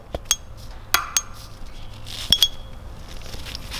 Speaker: there is a really small sound which they are making but all of them are making pretty much the same sound which should be good